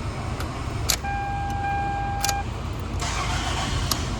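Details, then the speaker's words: Toyota after a no-crank fault traced to an add-on box with a blinking light, which was removed: short crank catches promptly and settles into a steady run, chime beeping; starts cleanly every time. "oh yeah cranks up every time all right we got this Toyota all put back together let's see if it continues to work tires right up every time"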